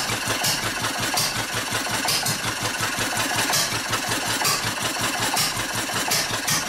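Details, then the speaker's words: Old Wolseley sheep-shearing stationary engine with its fuel shut off. Slow chuffing beats near once a second arrive unevenly, with gaps between firings, turning hit-and-miss. It is starving for fuel and running out. "Well, she's starting to starve. Running out of fuel. Poor thing, running out of gas."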